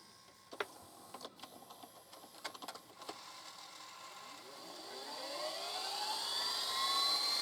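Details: Panasonic PV-VS2841 SVHS VCR, previously screeching and stopping after a couple seconds, opened for repair, rewinding a junk tape: mechanism clicks, then a smooth whir climbing in pitch as the tape spools up, no screech; rewind sounds normal.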